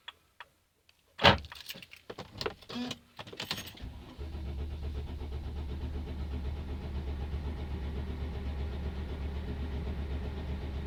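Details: Mercedes Sprinter diesel: silence, then several seconds of reluctant cranking before it catches and settles to steady idle; hard start, cause unknown.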